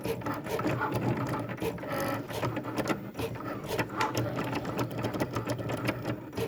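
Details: Cricut cutting machine: busy, uneven clattering and rasping with sharp bursts of chatter while cutting, louder and rougher than it should be.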